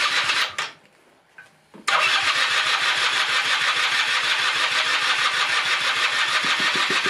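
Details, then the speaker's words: 1996 Rexy 50 two-stroke scooter, barn find, first start after 13 years, after a starting aid: catches after a short crank into a steady, even buzzing run with no misses, running on tank fuel; normal running. "jetzt läuft er tatsächlich mit Treibstoff aus dem Tank bisschen laufen gucken an der ist jetzt so 10 Minuten viertelstund gelaufen soweit passt al er läuft der nimmt Gas an"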